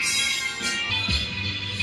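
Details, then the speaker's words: KRK Rokit 5 studio monitor that had crackled and hummed, after being fixed by hitting it: music now plays clean, with no crackle, pops or dropouts. "Okay, looks like it's fixed. This is the craziest speaker. Just crazy."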